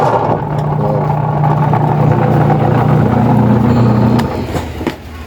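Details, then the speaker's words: Washing machine during wash agitation, loud droning hum with rough low rumble; with the belt removed the motor spins quietly, so the fault is a noisy worn gearbox. "Bag ang problema niyan ito gearbox yan. Tatanggalin natin 'tong belt para kasi ag yung belt niyan nakag sa gearbox papunta doun sa motor pag tinanggal mo 'yan, pinaikot natin yung motor at walang ingay."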